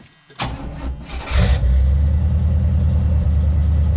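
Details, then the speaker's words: 1977 Cutlass after new exhaust gaskets, all cylinders reconnected (ran on two fewer before): quick crank, catches and settles to an even deep idle, no puffing or ticking; much smoother, burning something off, loud alternator noted. Normal start and idle. "It's a lot smoother. Burning something off, but we obviously got a loud alternator,"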